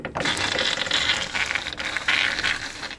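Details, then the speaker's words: VAZ 2104 (Zhiguli), listening at the steering box while the wheel is turned: bursts of clicking, ratcheting knocks and creaks from up top, worse when driving; steering clunk suspected in the steering gearbox, not confirmed. "Вот как раз таки когда едешь Эти звуки еще сильнее становится видите Да как все это дело тут ходит"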